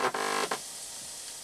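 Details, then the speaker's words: Quadraphonic 8-track player revived with a new drive belt and cleaned pots, with speakers connected to each output. A short fixed-pitch buzz comes and goes, then hiss: an electrical buzzing noise of unknown cause. "I'm not sure what that buzzing noise is."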